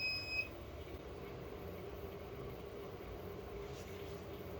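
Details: Dahua HCVR7208A-V2 CCTV DVR after fixing broken power adapter and replacing stuck system fans, startup test: short two-tone beep at power-up, then steady soft fan whir; recorder boots normally.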